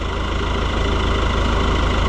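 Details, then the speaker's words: Oliver 1365 (Fiat 640) diesel tractor idling after the fuel filter leak repair: steady, even diesel clatter with no misses, knocks or speed swings; normal idle. "But for now, it seems to be back the way that it's supposed to."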